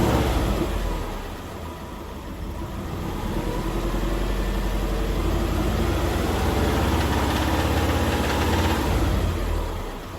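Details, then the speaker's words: Subaru Liberty B4 twin-turbo boxer engine at idle: a rough, uneven rattle of about three beats a second over the lumpy idle. It seems louder on one side near the top of a turbo, source not pinned down; the owner hopes it's outside the engine. Head gaskets and timing kit are due. "To my untrained eye, it doesn't really sound that regular or orderly to be in the engine. It kind of sounds like something's uneven rattling."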